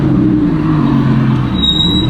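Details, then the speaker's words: 2017 Audi R8 with carbon ceramic brakes, 55K miles; a steady high squeal over engine and road noise as the car slows to a stop sign, which it does at every stop; owner doesn't know the cause: brake squeal when stopping. "I don't know what the problem is. It just squeaks every time you come up to a red light or stop sign. I know this has carbon ceramics, but watch."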